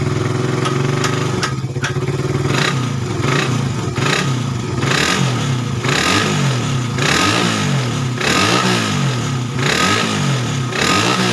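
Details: Suzuki Satria FU 150 cc after correcting a cam chain replacement with wrongly set timing (top): blipped about every second, rising cleanly and dropping back to steady idle, no misfire; before repair it idled erratically, sounded rough, weak, fuel-thirsty.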